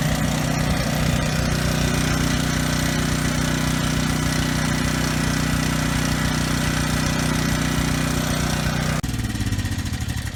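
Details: Briggs and Stratton generator at no load after carburetor cleaning, governor tab bent to raise rpm toward 61 Hz; steady, even drone with no stumble or surging, then winds down cleanly. The earlier stutter is resolved, normal running.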